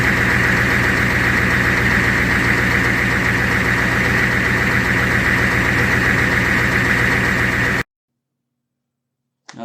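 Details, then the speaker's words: 1990 Ford F350 with 7.3 IDI diesel, warmed up and idling smoothly with even clatter and no stumbling or dying, after fixing a crank-but-no-start problem; normal diesel idle. "So it sounded great. After a while, I had it running. It warmed up."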